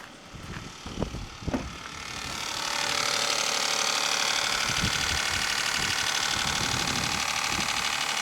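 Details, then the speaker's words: Daihatsu Cuore L251 started cold, recorded outdoors in gusty wind: a quick, regular, diesel-like clatter, about four per second, over a steady idle, clearly from the left side of the engine; cause unknown. "uns Geräusch komm also deutig von der linken Seite des Motors nagelt ein bisschen wie ein Diesel ne"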